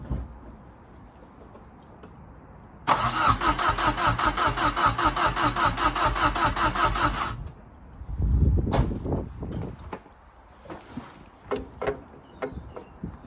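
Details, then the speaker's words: Fiesta RS Turbo: steady even cranking for about four seconds, never catches, then stops; likely fuel starvation. "okay so what it seems just pulling a fuel through now"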